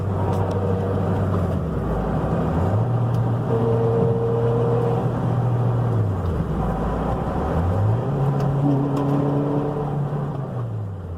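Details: 2004 Toyota Matrix XRS with 6-speed manual: a steady whine climbs in pitch with engine speed each time the car pulls in gear while accelerating.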